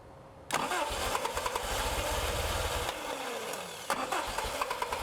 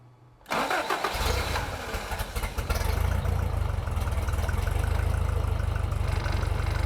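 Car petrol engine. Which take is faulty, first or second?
first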